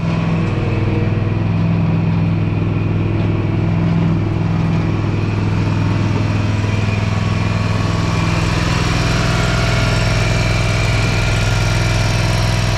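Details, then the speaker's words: Gravely ZT60 HD zero-turn with a swapped-in used Kawasaki 26 hp twin: even, steady idle with no misses or knocks; after about 10 minutes it burned off the oil smoke in the exhaust, and deck and drive work. "I let it run for about 10 minutes and it burned all that oil out of the exhaust and it quit smoking it was running pretty good and the deck worked and the drive worked"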